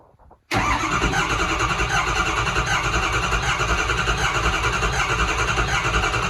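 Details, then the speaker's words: First start of a 2006 6.0 Powerstroke diesel swapped into a 2003 Ford F350: silence, then the engine is already rumbling with uneven, lumpy firing and no misses or knocks; hard to start, and a nest blew out of the tailpipe. "we got it running if you won't believe what just shot out of the tailpipe once it took off a little Nest was about in there it was hard to start"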